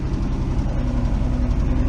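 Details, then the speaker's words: 1971 Ford F350 crew cab six-cylinder, sat for years, first start: low steady idle with slight drone, even, no misses or knocks; quiet exhaust, idling normally. "check out the exhaust it's nice and quiet actually it's got 10 miles of exhaust look at that she's idling and everything"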